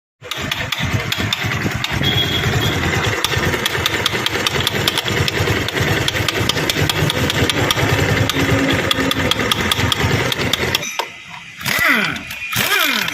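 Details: Bajaj Pulsar 220 single idling: busy uneven mechanical clatter over the exhaust beat; abnormal engine noise, cause not clear.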